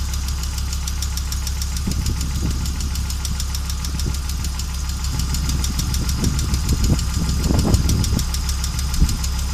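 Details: Audi Coupe after conversion from an NG to an AAR engine, with hard starting and dying while driving: petrol engine idles restlessly, irregular thumps and stumbling misfires breaking a fast ticking rhythm; cause unknown.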